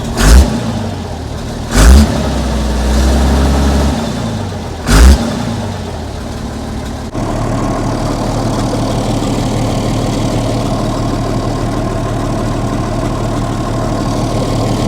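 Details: 60-year-old International Harvester 6x6 army tipper, Perkins 6354 diesel, sat about 10 years, after reconnecting the throttle pedal ball to its linkage: three sharp blips rise and fall cleanly, then a steady low idle; throttle responds normally.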